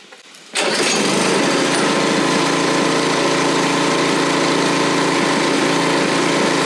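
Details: Single-stage snowthrower, first start of the season on 18-month to 2-year-old gas double-treated with Stabil: quiet, then it catches on the first pull and settles into a steady, even chug. Normal cold start.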